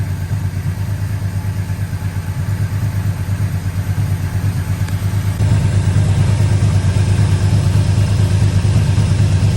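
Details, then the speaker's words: 1985 Yamaha Vmax V4 after carburettor rebuild, coils, leads, plugs, boots, first start on choke: deep even beat around 850 rpm, carburettors no longer chuffing, no popping or missing; healthy idle. "paint okay so our carbies aren't chuffing anymore it's actually idling beautiful"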